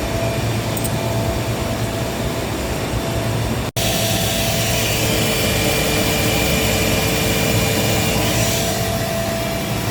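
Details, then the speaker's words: Gardner Denver screw air compressor after replacing the defective pressure valve that caused knocking: steady even roar with faint constant tone, no knocking; one unit on load, two on standby, running normally. "Current status of the compressor, 2 on standby and 1 is on load. Okay, now the system is working properly."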